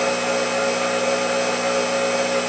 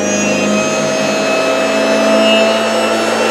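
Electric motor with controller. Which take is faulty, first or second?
second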